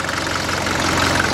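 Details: 1981 Mercedes-Benz 240D diesel, whole vehicle and reservoir tank shaking, worse in Drive: rough idle with uneven clatter and shaking throb; knocking persists off throttle, cause not found.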